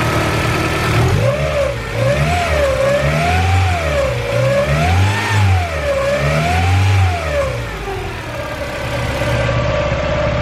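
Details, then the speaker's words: Turbocharged Honda CR-V after tightening belt: revs rise and fall smoothly in even waves, no hiss, squeal or ticking; belt squeal gone, no exhaust leaks heard, healthy. "No squeals from the belt anymore. I tighten that up. That startup should be drastic of a difference. I don't hear any exhaust leaks."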